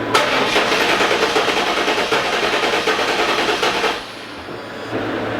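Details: LT1 Pontiac Trans Am (4th-gen F-body, resurfaced heads, chasing misfire and stalling) cranking during compression test of the last cylinder: even, rhythmic cranking at about three beats a second for four seconds. Reading about 170 psi, normal.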